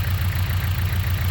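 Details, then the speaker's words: Idle with a dead ignition coil: deep, uneven thumping with a heavy pulse about every eighth of a second, a shaking misfire with an unburned-fuel smell. "as you can hear now the engine is a misfire and joking it's not and it's smelly so how to check it"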